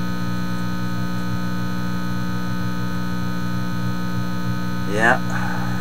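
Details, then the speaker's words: Teletone 67-600E record player, warmed up, after a power-supply circuit change meant to cure the buzz: a steady low hum with a buzzy edge, the same on both channels, runs unchanged; mains hum not fixed by the change. "there Comes The Hum coming out of this Channel and now the other channel that sounds exactly the same"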